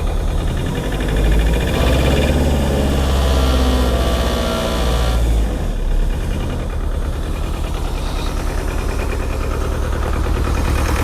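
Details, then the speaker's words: Neglected, cold Bobcat T595 with Doosan diesel held at idle by its cold setting: lumpy, uneven idle thumping about three beats a second, still missing on a cylinder, heavy white smoke; injector probably stuck open, won't run under hydraulic load. "So that much white smoke does tell me that we have an injector probably stuck open, unfortunately. Yeah, that's not good."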